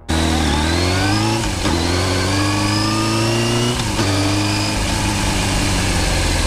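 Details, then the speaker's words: Motorcycle gearbox with straight-cut gears: a clear whine climbs in pitch with road speed, drops back at each gear change and climbs again as load moves to different gears; normal straight-cut gearbox whine. "o ruído vai ficando cada vez mais agudo conforme a moto ganha velocidade durante as trocas de marcha veja esses vídeos onde é possível escutar o Assovio do câmbio com engrenagens de dente reto"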